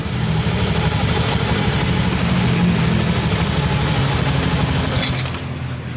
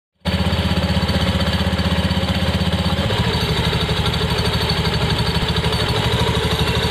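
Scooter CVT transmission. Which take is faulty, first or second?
second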